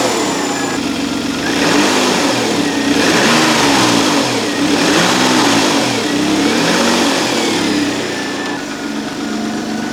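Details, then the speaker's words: Citroen XM 3.0 24V V6, started cold, revving: clean rising and falling revs returning promptly to an even idle, no longer hanging high as before; running on all cylinders. "I really think it's running nicely now. It returns to idle pretty smoothly and quickly. It revs up nicely."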